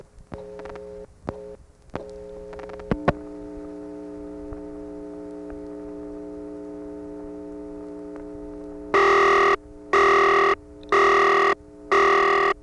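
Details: Morgantown, Pennsylvania ESC (Conestoga Telephone), August 1976, all 7 digits dialed to Tara Hill 445, recorded without attenuation: clicks and a steady tone, then four evenly spaced loud reorder bursts about once a second, marking a failed call.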